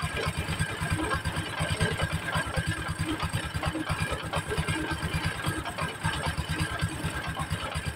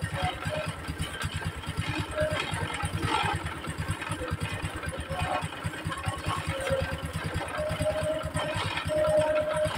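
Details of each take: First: Honda Supra X 125 idling right after replacement of the clutch bell and centrifugal clutch shoes: uneven clattering rattle loudest at the clutch area over a lumpy idle. Rough knocking, cause still to be found. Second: Honda Supra X 125 with a poor aftermarket centrifugal clutch lining (code KPH, thicker than original) that caused clutch-area clatter, oil refilled: steady, even putter with no knock; smoother, healthy idle.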